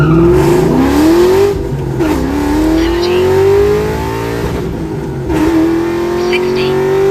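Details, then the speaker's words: 98–04 Mustang Cobra on a hard full-throttle pull: revs climb through each gear but the note stumbles and sags around shifts; high-rpm breakup between shifts, owner suspects fuel pump flow, unconfirmed. "the car is obviously breaking up in between shifts that's not a good thing either"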